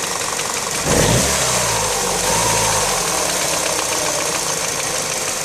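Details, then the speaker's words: Peugeot/Citroën EP6 petrol engine blipped briefly, a rapid knocking in the engine continuing as revs rise, heard clearly on the right side; a new sound, cause unknown. "так Всем привет вопрос что у меня стучит то есть не просто вот это тутутуту вот где-то вот здесь вот долбится поддай"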